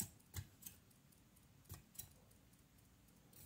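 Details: EVGA BW 80 Plus Bronze ATX power supply fan spun by hand: faint, irregular light ticks at about three a second as a blade catches on a plastic moulding flash against the stator; a badly injection-moulded part.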